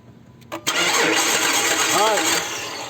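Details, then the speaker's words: Dodge Charger that shut off while driving and now cranks but will not start: starter spins the engine fast and light with no compression rhythm and no firing; timing belt found broken. "all right i think we got a timing belt that's broken here i'll remove that one no movement try again"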